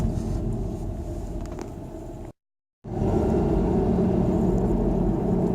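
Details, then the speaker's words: Volvo V50 test drive after rear hub bearing replacement: a steady low rumble from the winter tires with no growl rising with speed. Bearing sounds fine, much quieter than before; normal road noise. "Noise we hear now is pretty much just tire noise from the snow tires. That's good."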